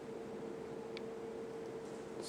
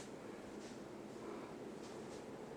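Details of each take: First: 52" Emerson Premium ceiling fan, verde green, K55 motor, on high speed: strong airy rush with thin constant whistle underneath, hardly audible and drowned by fan wind noise; good spin-down, bearings good; faint whistle otherwise solid running. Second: 52" Emerson Premium ceiling fan, K55 motor, four-inch downrod, running on high speed; steady even rush of air with only a faint thin whistle, no ticking, rubbing or wobble; normal operation on high speed.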